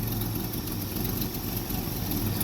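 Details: 1965 Ford F100 V8, choke fully open: smooth, even idle with steady low burble and no misfires or stumbling while warming up; running healthy.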